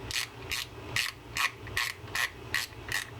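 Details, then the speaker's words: Tsunami Spear 8000 spinning reel after service, drag tightened: crisp, even clicking two or three times a second as the spool turns; the drag click ratchet is working properly. "And here's you can hear that clicking. That's the purpose of that click ratchet underneath there. It'll let you know you're back spooling your line off if you are fishing with that drag."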